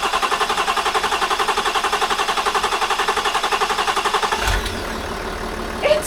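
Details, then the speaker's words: Land Rover Discovery 4, freshly rebuilt 3.0L SDV6 diesel on first start: harsh rhythmic squealing chirps, nearly three a second, until shutdown; drive belt slipping, wet with coolant; coolant low, so engine stopped. "the car sounds terrible that's completely normal that's coolant on the Belt okay we don't have enough coolant in the car so we have to stop it so the noise you hear is the coolant on the Belt"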